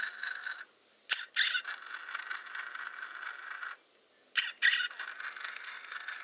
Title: Squeak sound in Hasselblad Winder CW (with sound, but no speaking...)